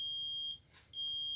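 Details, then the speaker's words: LG 20-inch colour TV not turning on: removed horizontal output transistor tested on multimeter buzzer range gives steady high continuous tone, fully shorted; to be replaced. "ये देखिए ये जो transistor है view output का इसको हम test कर लेते हैं। ये देखिए दोस्तों पूरा ये शॉर्ट है।"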